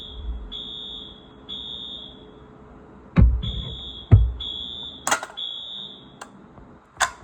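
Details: Wheelock new-series fire alarm, wired up and tested: high, piercing tone in bursts of about one second with short gaps and a few handling clunks; alarm horn sounds normally.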